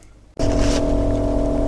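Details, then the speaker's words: Macintosh LC rescued from a recycling centre, running fully operational with a SCSI2SD drive fitted: a steady hum with an unchanging low drone underneath from the cooling fan, which is noisy and still needs work; the machine is very dirty. "as you can probably hear the fan and it still needs some work"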